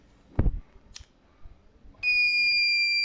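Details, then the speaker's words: Fire alarm circuit with flame sensor and thermistor: after a couple of faint clicks and a brief hiss, a shrill steady buzzer sounds as flame is detected; the GSM module then sends a fire alert SMS. "we can hear the buzzer it's buzzing and then the fire is detected display there as well as the temperature"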